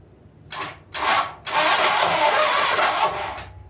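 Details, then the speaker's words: 1980 Honda CB750 engine, previously seized from sitting, on a weak battery: two short starter bursts then a steady two-second crank, turning evenly without binding; engine now cranks freely. "Well, it turned over. I'm not gonna rush it though."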